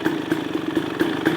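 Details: 2023 KTM 300 XC two-stroke after crank seal replacement and new clutch dampers, not revved yet: steady even idle with light crisp crackle, no knocks or rattles; sound changes when clutch is pulled; normal idle.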